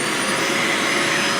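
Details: Hart DC1000 canister vacuum, second run after a first start with suspected blown bearing: loud steady rushing motor roar with a thin high whistle, rough and strained; burning smell less than on the first start, seems a little better.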